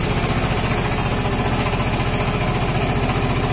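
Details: Vespa Matic scooter that suddenly died and would not start, now running after repair, 14.6 V with the engine on: smooth, even single-cylinder putter about 220 beats a minute, steady with no stumbles; healthy idle.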